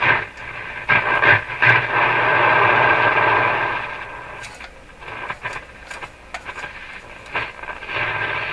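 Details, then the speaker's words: Marconi Model 295 two-band AM/SW receiver, first checkout, AM band: hiss and a steady whistle while tuning, stations coming through between bursts of static; normal AM reception. "Well, that certainly sounds like it's working."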